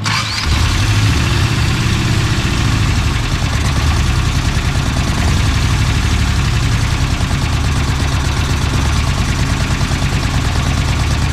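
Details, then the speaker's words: Freshly installed engine that had been missing at idle: it cranks, catches and idles unevenly with a slight stumbling miss; the cause was a vacuum leak from an open port that should have been plugged. "hey there we go vacuum leak supposed to be a plug on that there you go"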